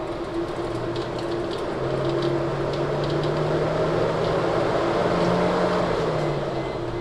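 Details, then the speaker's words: 2004 Chrysler Crossfire with a no-crank, no-start fault; key turn gives a click: continuous, even whirring with no engine running. The cooling fan runs constantly; a module going offline is suspected, not confirmed. "most of the time when a module goes offline the fan kicks on"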